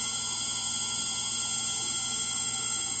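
Constant high-pitched whine and hiss with a cluster of fixed tones through the fast spin, no thumping: the motor bearings are worn.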